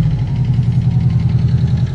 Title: sedan lifter tick.